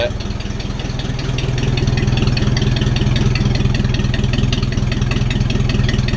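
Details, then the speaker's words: Ford 600-series (640) tractor, abandoned a decade, after new intake/exhaust manifold and vertical exhaust installed: steady, even chuffing about two to three beats a second, no misses or knocks; clean, healthy idle. "well now ain't that a Sweet Sound I'm so glad to hear that"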